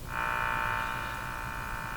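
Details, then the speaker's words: General Electric KL60 tube radio after band alignment; steady upper-mid droning buzz of electrical interference on reception, suspected from kitchen under-cabinet lights' power supply, noise changes but continues when switched off; not confirmed. "This is coming from a set of under cabinet lights that I have in my kitchen. And with them switched on, the noise is terrible."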